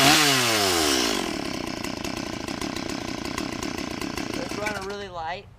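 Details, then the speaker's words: Stihl chainsaw that starts but won't idle: two-stroke revs bog and sag unevenly, then fade toward stalling; the idle speed is set too low, fixed by turning the idle adjustment screw. "so anyways so this is what's wrong with it um you can listen to it and it it'll bog"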